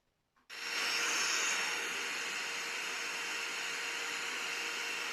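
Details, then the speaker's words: Portable radio receiver with an 18650 battery, switched on with the case open: an even, steady hiss with no station coming through, because the internal wire to the antenna is broken. "так бачимо тут в нас акумулятор 18650 це вже непогано подобаються мені ці акумулятори так бачимо в нас провід обірваний який іде на антену"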